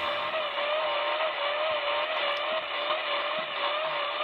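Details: Icom IC-7000 receiver with pulsating motor-like interference across the upper HF band since a week ago: steady hiss with a whistling tone slowly wavering up and down in pitch, signal 20 over; owner suspects a neighbour's treadmill or some motor.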